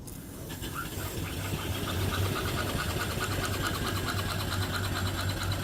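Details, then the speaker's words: Upside-down 1880s-style 5 HP steam engine fed by steam-pressurized oiler; soft even chuffing about 3.5 beats a second over low hum, very quiet and healthy. "Very quiet running engine. Beautiful."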